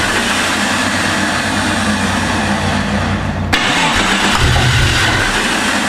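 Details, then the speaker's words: Jeep with a swapped-in replacement engine, running rough with an uneven, loping idle after start. One cylinder was dead because an ignition coil boot was not seated on its spark plug. "That's weird cuz now we know it's running on six and don't want to run low."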